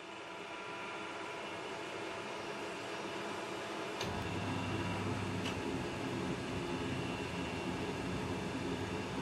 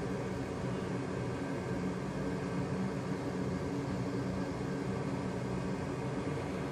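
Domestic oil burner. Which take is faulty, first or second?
first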